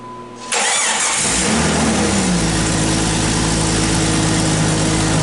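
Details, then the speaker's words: Jeep Grand Cherokee first start after replacing a faulty crank position sensor: short crank, then a smooth, even idle with no misses or knocks. It starts and runs normally, though the fix is not yet confirmed by driving. "it runs all right"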